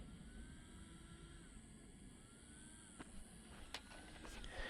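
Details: FMS FMT10 brushless RC truck after running with new gears: thin fan whine keeps dropping out and returning about every second over a low motor hum; cooling fan cutting out, cause suspected.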